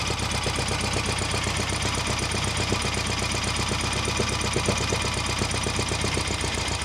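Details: Idling Volkswagen Beetle flat-four after rebuild, at first start with oil pressure, runs well but a steady light knock about four times a second sounds over the beat; cause unknown (bearings, measurements or bad parts suspected), blamed on a rebuild mistake.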